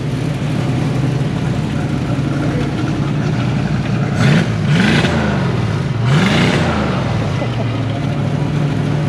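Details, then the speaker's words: 1968 Mustang with swapped Fox Body fuel-injected 5.0L V8 and glass pack exhaust, in park, after fixing stalling by bypassing 1968 resistor wire for full 12 V; timing not yet set: throaty burble rises on three throttle blips, drops back to even idle; runs clean. "glass packs don't sound too bad on there."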